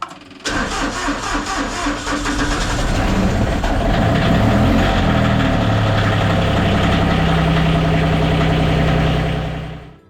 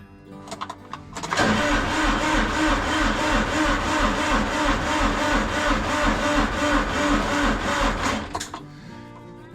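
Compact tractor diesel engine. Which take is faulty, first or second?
second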